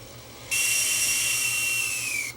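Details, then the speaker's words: Disc drive motor from a Toshiba DVD player that ran 24/7 for years and stopped playing discs, bench-powered up to about 15 V: harsh hissy high whine that sags and cuts out, with dead spots; motor worn out. "oh that motor is not sound it did not sound happy at all"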